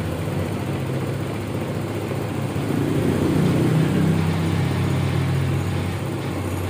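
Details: Mio Soul i 125 scooter started after throttle body cleaning and reassembly: settles into an even idle, low hum swelling briefly then dropping back to a steady run; normal idle.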